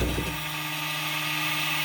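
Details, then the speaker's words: Old (about 1986) X2 jet ski, battery wire reconnected: starter winds up to a steady high whine but does not crank the engine; bendix spinning free, not staying out to engage the flywheel. "the Bendix is basically a little gear and it flies out and hits the flywheel and that's what makes it turn but that's that noise you're hearing is the starter's spinning but it's just not turning the engine"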